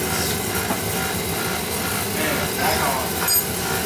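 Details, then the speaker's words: Oil burner running with a steady rough rumble and gritty grinding under the burner roar; the blower motor's bearings are worn out, oiling suggested. "you know your bearings in this motor's all smoked. You can hear it."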